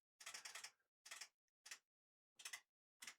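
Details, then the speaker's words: Late-1990s Kenwood KA-5090R amplifier: irregular bursts of sharp clicking as the motorized input selector switches sources by itself; suspected dirty or worn switch or a dry joint, not confirmed. "That's changing on its own, the input selector. I don't know if you saw that then. I didn't even touch that, and it was changing on its own."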